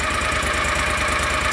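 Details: John Deere Gator 625i UTV after the DIY auxiliary muffler install; even, muffled exhaust pulse at steady idle with no knocks or rattles, noticeably quieter, reading fluctuating 82–90 dB.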